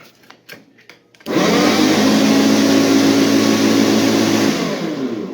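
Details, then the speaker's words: AL-KO Classic 3.22 SE electric lawn mower tested after lower bearing and belt replacement and straightening of a deformed blade: motor spins up abruptly into a steady even roar with a faint hum, no knocking or grinding; running normally. "Ну все, работает, отзваниваемся владелице."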